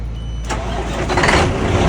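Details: Kenworth W900 diesel truck, morning start after turbo failure and new turbo fitted the night before: short crank, catches at once and settles into an even strong idle, no knocks or misses; clean start.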